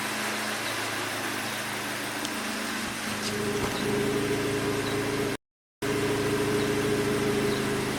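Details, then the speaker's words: Hyundai Elantra GT, heard at the exhaust after coil packs 3 and 4 were replaced: the idle is still uneven with irregular blips and stumbles, a misfire later fixed by replacing the faulty number 2 coil pack. "I don't know if you guys can hear it but the car is still doing it I'll go show you from the exhaust"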